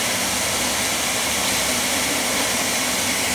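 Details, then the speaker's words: Oil boiler burner, system about 3 years old, after the tank ran dry and the air-filled oil line was bled and the burner head cleaned: steady even roar with an airy hiss, no pulsing or sputter; firing cleanly. "Alright, now we're getting a good oil flow here. Clean, good oil flow. Now, that's what it was. He was out of oil."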